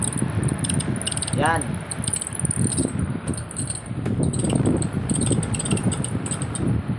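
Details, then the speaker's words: Top Mama stand electric fan running on speed one: rough metal-on-metal scraping under the motor hum; the likely problem is a worn bushing. "kung naririnig niyo ay para siyang nagkakayod ng bakal so sasabihin ko na ang problema niyan Pag mga ganyan ah pwedeng bushing Yan lang yung pinakaproblema niyan"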